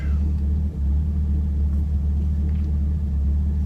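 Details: Camaro LS3 V8 after repairing MAF harness chafed on power steering pulley that blew a fuse (aftermarket AEM intake): deep, steady rumble, even pulses, no stumbling or hunting; fuel pump control module code remains. Normal idle after repair.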